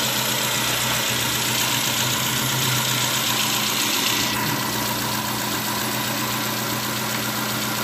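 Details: 2010 Nissan Latio at idle, uneven stumbling beat with a dropped pulse every few revolutions: misfire; coils 1 and 4 unplugged without change, problem traced to cylinders 2 and 3 coil/spark plug.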